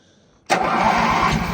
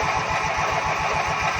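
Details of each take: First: Ranch King riding lawn mower after cleaning and headlight work: fires right up, swells briefly, then settles into a steady, even twin-cylinder idle with no misses or knocks; normal start and idle. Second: Ranch King riding lawn mower cranking over fast and steady, about eight pulses per second, never firing; inline spark tester light doesn't flash, no spark, ignition coil suspected bad.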